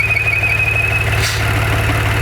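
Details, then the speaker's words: Maserati Ghibli SQ4 at idle after 0-60 runs: high steady whistle starts a couple seconds after startup and goes away when the dipstick is pulled, returning when reinserted; crankcase pressure suspected, likely not a vacuum leak. "So note, it doesn't start making the noise right away. Only after the engine's been running for, say, a couple seconds. And here's what happens when I pull this. I'm pulling the dipstick here. When I pull the dipstick, the sound goes away."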